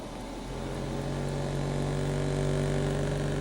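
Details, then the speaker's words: Kalorik AFO 46129BK air fryer oven under repair (lower heaters defective since new), switched from toast to air fry mode; the convection fan's low hum builds, then holds smooth and even. Normal fan operation. "we'll switch to air fry and see what happens fan"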